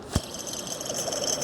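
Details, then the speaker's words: Jeep Cherokee (Liberty), old idler pulley removed for a whine on acceleration, spun by hand: a dry, gritty high rattle and hiss with faint clicks. Rough, worn idler pulley bearing. "the camera is picking that up that bearing sounds really quite unhappy"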